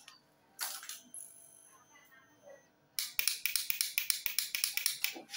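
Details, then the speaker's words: Honda CBR 150 that won't start on the electric starter: a rapid string of sharp dry clicks, three or four per second, with no cranking. It still doesn't crank when jumped, so a faulty starter motor is suspected. "Oke, motor masih belum bisa dinyalakan menggunakan starter. Coba akan mekanik bengkel langsungkan ya. Kita akan mencoba menjumper."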